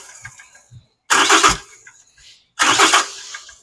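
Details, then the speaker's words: 2022 Cummins diesel, just under 34k miles, cranked with remote starter button: cranking stops between sharp pops backfiring through the intake; number six exhaust rocker not moving, suspected collapsed lifter leaving exhaust valve shut; pushrods and rockers also failed. "exhaust is not turning at all right there pop back through the intake. So I will get uh the valve trousers tore apart and I suspect we have a lifter failure."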